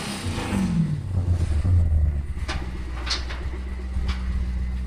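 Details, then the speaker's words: BMW E92 drift car with a swapped-in V8, tuned: sharp blip climbing then dropping back to a deep, even burbling idle with clean throttle response; healthy V8 revving. "Jesus, how beautiful that sounds. That's the only reason I could put a V8 in, just for that sound."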